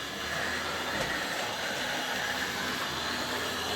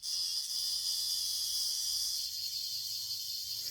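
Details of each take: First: Old Hornby R857 BR Ivatt class locomotive (no tender), after repair, running on track: gritty, rough grindy whirr under the motor with faint clicks, jumpy over points from old wheels — worn rear axle bearing. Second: Old Hornby R857 BR Ivatt class locomotive motor after brush refit and stronger magnet, spun on a battery before gear oil: steady high-pitched whir for a few seconds then cutting off; spins freely — normal running.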